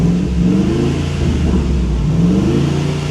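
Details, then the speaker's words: 2015 Ford F250 salvage supposed flood car after first drive: V8 revs climb lazily and sag with flat muffled note; poor throttle response and low power, owner suspects smoked catalytic converters, unconfirmed. "I think the cats are smoked on it. It's got real crappy throttle response and didn't seem to have a lot of power."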